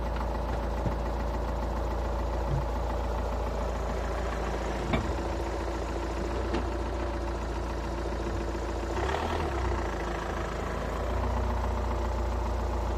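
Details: Skoda Octavia A5 2.0 TDI 125 kW diesel at cold idle: a steady low clatter with occasional sharper knocks over the rumble. Cold-engine knock, cause unclear.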